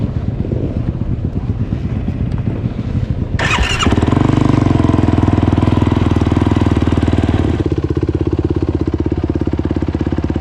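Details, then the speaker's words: 2021 YFZ 450R on its first test run with an HMF slip-on exhaust and fuel optimizer. The single picks up cleanly off idle and holds a steady, even beat without surging or stumbling; off-idle response is much improved from before. "I'm immediately noticing an improvement off idle. I was never able to ride calmly through a parking lot or through the yard without having to accelerate, release."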